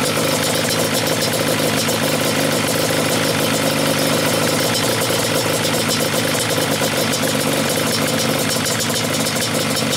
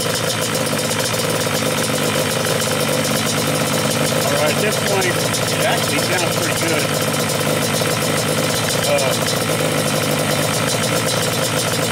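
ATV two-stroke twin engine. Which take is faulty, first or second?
first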